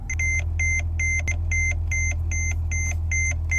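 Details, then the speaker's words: Mercedes-Benz E-Class, red dash warning meaning the car can't be driven: sharp two-tone beep about twice a second over a low steady hum; warning chime sounding. "guys if you guys know when it turn red that means you cannot do anything with the vehicle"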